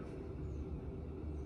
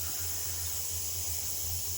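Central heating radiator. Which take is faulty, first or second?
second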